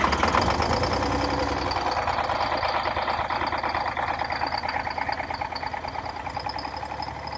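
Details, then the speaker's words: Cold start of a Detroit Diesel 6V92 in an MC9 bus in late October, engine about 39–40°F: a rough, uneven, stumbling idle because not all cylinders are firing. It runs normally once given more fuel. The owner suspects leaking/clogged injectors or stuck piston rings. "so when I gave it some more fuel eventually it seemed like all the cylinders would light and now it's running normally so it seems like just I'm just not all the cylinders are firing up at the same time"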